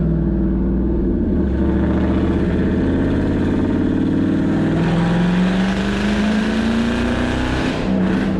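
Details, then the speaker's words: Car that suddenly developed a bad misfire, before replacing a bad coil and OEM spark plugs: lumpy, uneven engine note with stumbling beats as revs rise and fall, shaking more than usual at idle; owner suspects multiple-cylinder misfire. "so I'm gonna misfire it's really bad I really bad they might meet multiple cylinder misfires so we'll see but like it's not it normally doesn't shake that much our Idol that much an arrival"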